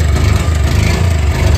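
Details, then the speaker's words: Bajaj Discover 135 at idle after kick start, fast even rattling over low engine thump from the timing chain; tightening the tensioner quiets it only briefly, so a new tensioner is to be fitted next. "তো tension আর tight দিলেও আওয়াজ বন্ধ হয় না কিছুক্ষণ বন্ধ হয় তারপরে আবার আওয়াজ শুরু হয়"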